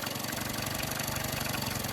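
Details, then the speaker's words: Yamaha 9.9hp outboard after primer bulb replacement, with the idle speed screw turned down: low, slow, even putter with steady firing just above cutting out. Normal low idle. "I'm turning the idle speed screw down. That sounds a bit more like it. Just before it cuts out, really."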